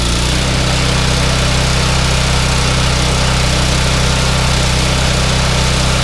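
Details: Yardman 31A-285-452 21-inch snowblower, 5 hp Tecumseh engine, sat unused for years, restarted with primer: small single runs steady and even at fast idle, no misses or surging; engine good but auger/tine assembly does not engage.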